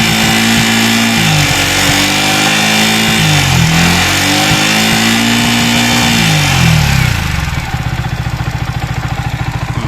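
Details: Yamaha R15 V3 single-cylinder engine revving up and down then idling with light rapid ticking clatter; top-end noise, rocker arm bearing mentioned as suspect, not confirmed.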